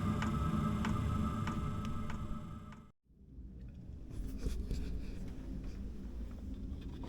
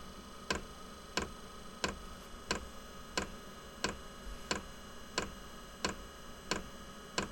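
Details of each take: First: Inexpensive diesel heater in quiet mode warming a small shed workshop, about 5 minutes after startup: a steady ticking from the fuel pump about every half second over a soft hum. It is slightly quieter than at startup, but louder than expected. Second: Inexpensive diesel heater at startup in a workshop: sharp, even ticks about ninety a minute over a faint hum, described as the glow plug and priming ticking. It is normal and stops after the priming and initial startup.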